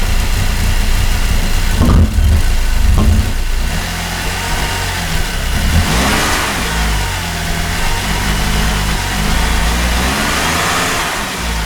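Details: 2008 Cadillac CTS 3.6L direct-injection V6, six months after timing chain replacement: stumbling, surging, erratic running with hard catching from bad cam phasers. Fixed by replacing all four phasers and the camshaft thrust washer.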